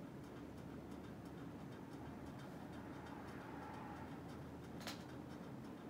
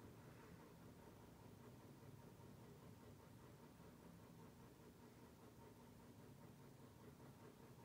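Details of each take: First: NuTone Hug-The-Ceiling Hugger 52-inch ceiling fan on high speed: steady whooshing hum with faint evenly spaced light ticking; unexplained noise, owner unsure if present when earlier tested. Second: NuTone Hug-The-Ceiling 52-inch white hugger ceiling fan with spotlight kit, on low speed: a soft, steady whoosh with no hum, clicking or wobble; it runs quietly.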